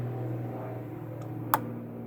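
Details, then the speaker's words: 2012 Ford F-150 4WD with a right front wheel grinding complaint: the IWE solenoid is commanded on and off with a scan tool before the engine is started. One crisp click sounds over a low hum, showing normal solenoid operation. "do you hear the clicking so i'm going to start this up"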